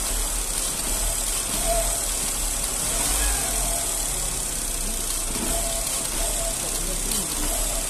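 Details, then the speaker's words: 2009 Astra idling after faulty fourth injector replaced with new Bosch one; steady even idle with only a faint, normal slight tremor, no knocking, pinging or misfire; normal idle. "aí agora ó pessoal o motor que redondinho que tá ó tá vendo o motor nem tremer nem tremer ele não treme"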